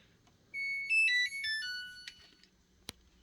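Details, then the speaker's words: New Samsung washer/dryer control panel: a short run of stepped electronic chime notes, then one sharp relay click about a second later; normal relay switching. "yeah you probably heard the relay there"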